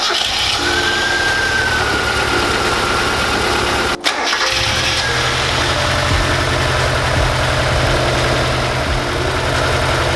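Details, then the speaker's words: Mazda Miata, first start after fitting adjustable polyurethane motor mounts: a smooth, steady idle with one brief dip and a faint whistle, shaking noticeably less. It stalled shortly after and wouldn't restart; an air leak was heard. "I do feel the difference the car doesn't shake a lot"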